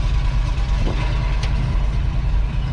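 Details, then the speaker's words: Abandoned 1990 Ford F600 box truck, carbureted big petrol engine, first run after sitting: deep, steady low rumble with an even beat and no knocks or rattles; motor sounds good, normal running. "uh motor sounds good"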